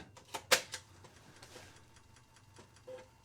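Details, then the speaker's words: Amiga 500 restored after Varta battery leak, first power-on in 30-plus years, Workbench 1.2, Giana Sisters disk inserted: quiet irregular ticking and light clicks as the floppy head steps across the disk; drive seeking and reading normally. "drive is seeking all right"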